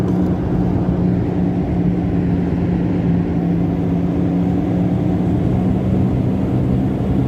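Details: Toyota RAV4 heard from inside while driving: steady low drone and hum with slight vibration felt underneath, from a damaged left rear wheel bearing.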